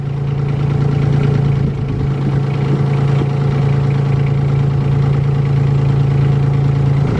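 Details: Caterpillar 302.7D CR mini excavator diesel just after a cold start: even, steady idle with a firm low hum and light clatter, no misses or knocks; a healthy warm-up idle.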